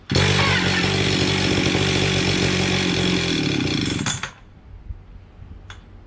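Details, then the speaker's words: Stihl 031 AV chainsaw from about 1974-76, unused five years, before carb cleaning, throttle open, choke makes it worse: high buzz flat out about four seconds, then sags and dies abruptly; fuel starvation, dirty carburetor suspected. "okay it's got gas in it but it seems like it's running out of gas let's see what we got here"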